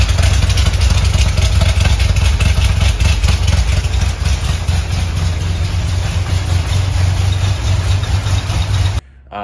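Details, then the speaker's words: Corvette C6 Z06 V8 first start after reassembly: lumpy, stumbling idle, running on about three cylinders with compression; lifters fully pumped up held valves open, no compression; ran worse over half hour warm idle. "essentially what was happening is those lifters were completely pumped up and the valves were hanging open so not allowing it to build compression"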